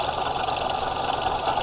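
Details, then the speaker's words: 1973 Pontiac LeMans idling after first start, dirty but full oil, oil light out, no coolant: fast light metallic rattle from the loose, wobbly front water pump pulley; engine itself not knocking, smooth. "Yeah, the noise is from the front pulley of the water pump that is loose. So, the engine is not knocking at all. Nice and smooth."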